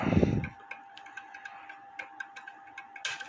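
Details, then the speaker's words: Homemade clock movement stand: dry ticking and ratchet clicks while turning the hands, with a catch because the lifting wire/arm is not adjusted right. The movement binds. "And when I turn the hands, make sure I'm turning the hands right. It's getting in a bind."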